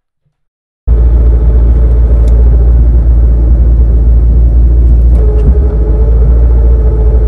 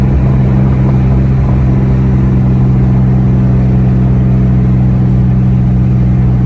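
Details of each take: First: 2003-2004 SVT Cobra T56 after 26-spline input shaft upgrade with shimming; steady idle in neutral with low rattling rumble that disappears with clutch pushed in and returns when released; gear rattle, suspected from input shaft/countershaft, shifting unaffected. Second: 2003–2004 SVT Cobra with T56 and aftermarket 26-spline input shaft: even, steady drivetrain drone under light load, no grinding or clunks. It drives and shifts normally; owner says the upgrade's input shaft/countershaft noise doesn't affect driving.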